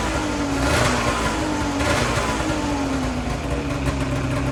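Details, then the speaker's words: 2008 Ski-Doo Rev snowmobile twin two-stroke said by the seller to be blown, drive belt off: fires right away without starting fluid, runs even and smooth with clean throttle blips; both cylinders firing, though the fuel smells bad. "so as you guys just saw this thing fired up right away no starting fluid or anything um it seemed to smooth out pretty nicely I do have the belt off right now it uh definitely was running on both cylinders there's no doubt about that I mean it sounded consistent and smooth"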